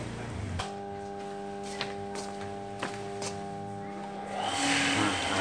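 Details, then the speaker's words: Water pump that only starts if its fan is turned by hand: steady low electrical buzz for several seconds with no run-up in speed, motor stalled and humming; capacitor suspected, not confirmed. "So, he had to help turn it around before he wanted to live, his friend was plugged into electricity, only a buzzing sound like this"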